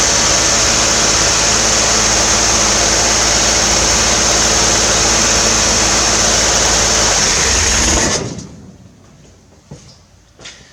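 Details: 1968 Corvair with new mechanical fuel pump fed from a boat tank, both choke thermostats replaced and chokes closed: fast, even buzzing idle well above normal for about eight seconds, then cuts out; high idle is a recurring issue on this car.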